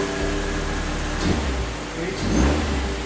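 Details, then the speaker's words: Mazda Miata 1.8-liter four-cylinder after a cheap cold air intake install: two blips with rising growl and clear breathy intake suck on each rev; normal induction noise, engine healthy. "so yeah you can hear it suck in there you hear it"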